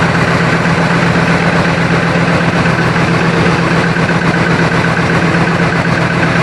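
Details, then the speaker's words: 1965 Chrysler 300 convertible V8 idling after the worn-bushing distributor was replaced with an electronic ignition conversion and timing set at 10°. Steady, smooth low rumble with no misses; it previously stumbled above 2500–3000 rpm. "Well, I can tell you one thing. It does rev up a lot nicer. Uh before when I would bring the RPMs on this up past about 2500 3,000 RPM, uh the engine would start to stumble and not run smooth."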